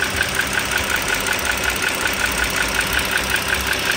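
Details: 2009 Dodge Journey SXT V6 (3.6 L per title, 3.5 L spoken), idling, recorded close to the engine: sharp light ticking about five times a second. The owner is pretty sure it is the rocker arm assembly (two rocker arms and shafts), needing replacement, and says it may not be pistons, rings or transmission.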